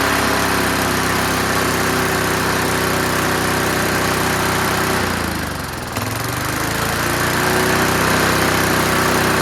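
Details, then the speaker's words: Curbside-found Snapper Hi-Vac push mower, one of two combined into a runner, now starting and running on its own. Strong, steady single-cylinder drone at fairly high revs, briefly dipping and recovering. Runs high because throttle stops at about 2/3. "But wow, I'm amazed. Truly amazed that it ran."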